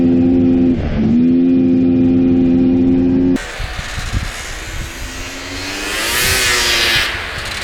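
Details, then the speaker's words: 1998 Polaris XCR 600 snowmobile that started bogging per the seller, run after choking: steady high drone drops sharply then recovers, never pulling cleanly around 3,000 rpm, no engine light; engine bogs under throttle. "yeah it's definitely boggy this thing should be flying no engine light or anything coming on"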